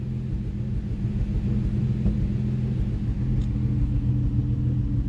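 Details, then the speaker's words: Nissan 350Z after coil swap, cylinder misfire previously: steady, even engine rumble with no stumbles or skipped beats; misfire gone, cause was spark plug; still smoking from burning oil. "Ayan, mukhang wala na yung spire."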